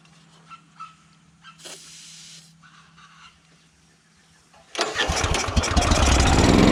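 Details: Honda GX340 petrol engine on a farm auger, after throttle linkage adjustment: low hum and faint taps, then it fires and roars up rough and uneven; won't pull-start, dies straight away; spark plug carboned up, gap okay; hard starting.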